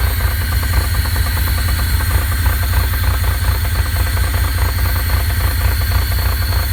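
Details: 2.8L V6 Pontiac Fiero at warm idle: steady knock about three per second over engine hum, developed when warm; source unknown.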